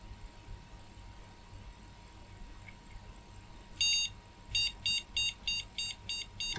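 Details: Retro car-boot PC board with an intermittent fault: one long beep, then about seven short even beeps, the POST code for no graphics card detected, heard after a no-boot with a known good graphics card.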